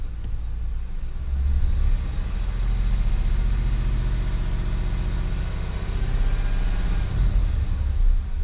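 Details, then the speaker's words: Ford Crown Victoria at idle after removing and cleaning a dirty, clogged idle air control valve: steady low even rumble, no tapping, surging or hunting; earlier noise gone, owner believes the IAC was the cause. "it's not doing it now guys so cool that works out"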